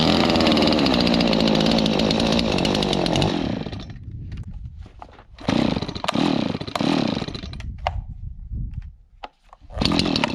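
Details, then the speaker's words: Long-neglected Stihl 026 two-stroke chainsaw after carburetor cleaning and fresh gas mix: crisp high-rev buzz dropping cleanly to steady idle and picking up on blips; normal running. "That sounds pretty good. So yeah, so this thing is doing, I'm not a chainsaw expert, but this seems like it's running really well now."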